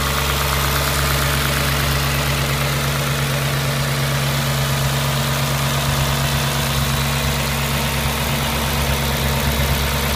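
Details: Audi S4 B6 at idle: a constant low drone with a faint, slightly uneven ticking on top; an abnormal engine noise of unknown origin.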